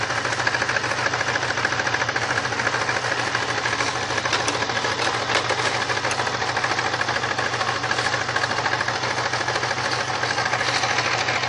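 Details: 1999 Grand Prix SC 3.8 V6 idling rough and uneven, about three stumbles a second, a misfire blamed on a bad ignition coil (#1-4).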